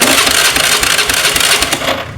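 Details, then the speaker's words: Honda Scoopy scooter, owner blamed the new battery, but electric starter cranks with a busy hissy "kececes" chatter for two seconds and never catches; not the battery, weak half-dead spark plug suspected, spark checked before removing the plug. "Ini masalahnya bukan dari aki Pak ya Ibu karena ketika saat diarter ini bunyi Pak kececes keces kececes bunyi namun motor tidak mau menyala"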